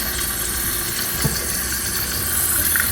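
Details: Running toilet before repair: worn fill valve lets water level rise too high, near the overflow tube top, water dripping out; very loud, later replaced with Fluidmaster 400A. Constant hissing, whistling water flow that never shuts off: running toilet from worn fill valve.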